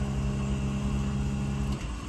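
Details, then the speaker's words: 12,000 BTU mini-split heat pump in defrost mode in cold winter weather (about 20–30°F), ramping to around 1,000 W: steady low compressor hum with a tonal drone that holds, then drops away near the end; normal defrost. "I don't know if you can hear that on the mic but uh it's ramping up you can and I hear it's slowly increasing and then let's see how high it goes"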